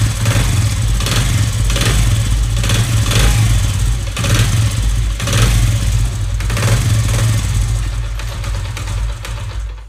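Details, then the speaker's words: Honda CD70-type motorcycle revved with the clutch lever pulled: loose, uneven clatter rising with revs from worn, loose outer clutch basket damper springs; fix is replacing the springs. "उसके जैसे spring होती है ना बाहर वाले वो आपने change करना है ये आवाज उसकी होती है"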